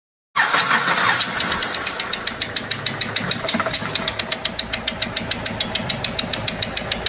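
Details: Renault 1.5 dCi diesel idling after start-up: sharp regular ticking about three a second, compression loss through a leaking injector seal.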